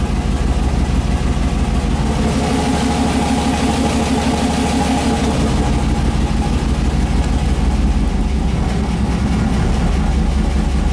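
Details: 5.3 V8 turbo Mustang with Turbo 400 transmission, freshly installed, idle being fine-tuned via idle air control; deep even burble holding steady at about 1000 rpm with no hunting, stumble or tapping, normal idle.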